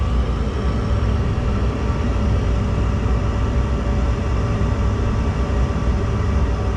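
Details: Gas furnace after clearing a cobweb from the burner orifice: steady even low rumble, no surging or dropouts; burners running smoothly, repair successful.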